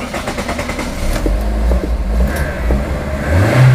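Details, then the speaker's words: Car that suddenly would not start, with corroded, loose positive battery terminal greased and tightened: engine now catches and settles into a steady, even low idle with no clicking or struggling; normal start and idle. "Start হয়ে গেছে"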